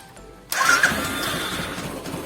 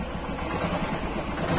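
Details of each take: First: Royal Enfield Thunderbird single-cylinder idling with an uneven metallic clatter coming from the clutch cover area, heard before repair; clutch cover rattle at idle. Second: Royal Enfield Thunderbird single-cylinder after clutch cover repair idles with a steady, even thump; the earlier clutch-cover noise is gone, no rattle from the clutch side.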